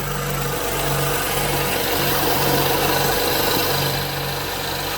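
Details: BMW F10 535i idling after drive belt tensioner replacement: steady even idle, smooth belt hum, no chirp, slap or rattle; healthy.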